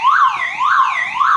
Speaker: now as we can see there is sound is weaker and I have eliminate this my car horn